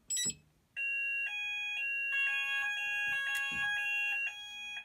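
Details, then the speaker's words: Haes Vector addressable fire alarm panel on evacuate: several high-pitched pulsing sounders start at different moments and overlap, patterns never lining up; sounders out of sync. "it works better when you have one saunder but yeah um but they don't sink so"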